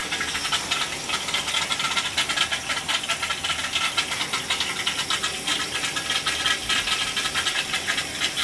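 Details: Gas boiler hot-water heating loop with cast-iron baseboard: constant loud hiss with fine rattling and gurgling through pipes; trapped air being purged from the loop.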